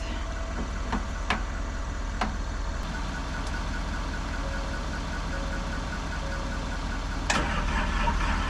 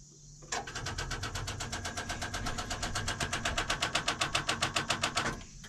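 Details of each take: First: Diesel excavator that would not turn over, started after a jump from the truck, batteries due for replacement: steady idle with an even low rumble and only a few stray clicks; running normally once started. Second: Excavator with two corroded batteries, one reading 11.57 V, about 24 V total: rapid even clicking about four per second for five seconds, no cranking; starts when jumped from truck, weak batteries needing replacement.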